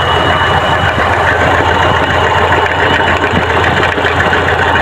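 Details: Chevrolet Trax with P0300 misfire code: lumpy, uneven idle with irregular stumbles under a constant mechanical clatter; engine misfire, rough idle, cause not yet found.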